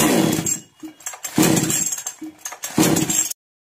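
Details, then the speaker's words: Chainsaw that starts then dies: three pull-start sputters, each dying without catching and running. "अब machine start कर check करूंगा का या जैसा कि आप देख पा रहे हैं चैन समस्या स्टार्ट नहीं हो रहा है"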